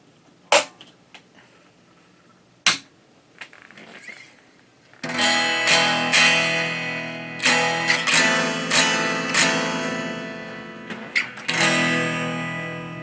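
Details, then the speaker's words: Fender Blues Deville tube guitar amp built 1993–96 with 12AX7 preamp tubes, fixed bias, on the bench; guitar through the other output sounds thin, harsh and fuzzed, barely functional and far too quiet; distorted weak output, cause not yet found. "This output is barely functional and it sounds terrible."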